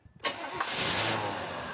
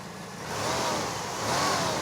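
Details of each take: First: 1988 Pontiac Firebird Trans Am GTA 5.7L, sat for years, first start: brief crank, catches, idle slightly uneven; owner says not running perfect, plans to replace 35-year-old sensors; rough running, cause unconfirmed. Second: 1988 Pontiac Firebird Trans Am GTA 5.7L after long storage, freshly fitted with all eight new Delphi injectors and new spark plugs: three smooth rev blips rising and falling cleanly, no misfire or knock; normal revving, sounds healthy.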